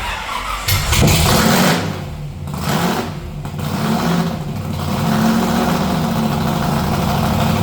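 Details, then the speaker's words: '57 delivery with a V8, new Neighbor Hater mufflers and a reworked fuel system: cranks, catches and blips, then settles into a deep, steady burbling idle; normal start and idle. "I'm going to end this one here with some sounds of the new exhaust on the 57."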